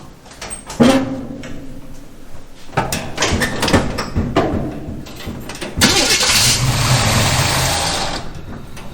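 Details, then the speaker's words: 1951 Henry J street rod, first start after carburetor install with starting fluid: engine catches, uneven sharp pops and bangs, then rough idle; backfiring, owner suspects distributor cap or spark plug wire. "Okay, so it cranked up and idled fairly well. The problem is the backfiring, so I'm going to guess it's something with the distributor cap or a spark plug wire, probably with the distributor cap."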